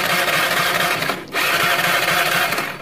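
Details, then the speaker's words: Motorcycle hot after about 15 minutes running or 1 km riding, which cuts out and won't restart by starter or kick (runs fine cold); weak CDI suspected, checked via pulser wire: starter whirs and churns, pauses, cranks again, never fires; hot no-start. "dan ternyata tidak bisa ya teman-teman."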